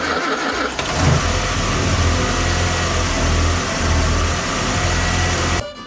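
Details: 1966 Land Rover started after manually priming the fuel pump, with water dripping on the coil and a gas drip: engine catches and settles into a steady, even low rumble for several seconds before cutting off; runs fine once fuel arrives.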